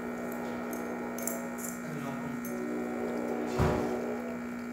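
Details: Gaggia Classic espresso machine pulling a test shot (grinder not calibrated): constant even-pitched vibration pump buzz with no sputter or strain; normal pump operation.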